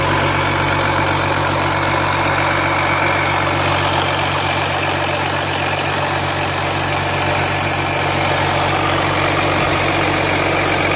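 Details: 2007 Jeep Grand Cherokee 3.0 CRD diesel started from cold at idle, oil pressure light on at idle but off when revved, oil level correct: busy steady metallic rattle over diesel knock; owner suspects timing chain, not localised at front.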